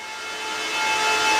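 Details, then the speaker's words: Bitmain Antminer S21 XP air-cooled Bitcoin miner after about 24 hours mining, recorded about 10 ft away at roughly 75 dB (startup about 100 dB): loud steady fan rush with a thin piercing high-pitched whine at constant pitch, audible upstairs; normal noise. "10 ft away 75 DB but there's this really high pitch wine you guys can probably hear it in the video here I can hear it this thing upstairs like it's very apparent a very specific noise"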